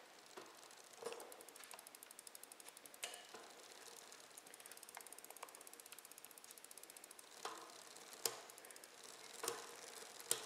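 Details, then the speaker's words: Bicycle with a Shimano XT rear derailleur, limit screw turned too far clockwise: fast light ticking with sharp clacks as the chain tries to jump into gear eight. The chain is jumping gears because the limit screw is misadjusted. "hear it jumping it's wanting to jump into this gear number eight so that's just what that screw does"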